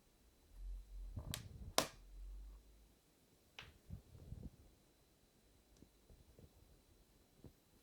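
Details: 2016 MacBook Pro chassis making sharp, crisp pops with softer knocks after, recorded under a stress-test command. The first pop always occurs when cold, another randomly, and another when the lid is touched while warm. Apple Support could not reproduce the fault.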